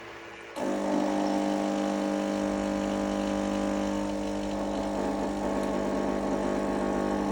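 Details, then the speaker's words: Krups FBB14500M coffee machine after fixing "unplug machine" error: click, then steady pump hum with constant whine during preheat and self-cleaning rinse; normal operation restored. "It's preheating the unit, wasn't doing that before. And as you can hear, it's just cleaning the unit itself."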